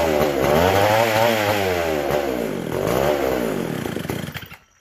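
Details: McCulloch SP125 two-stroke chainsaw after carb rebuild, throttle shut: screams at high revs, pitch surging up and down, then dies; owner hears an air leak, carb not pumping fuel; a large carb-to-intake gap was later found.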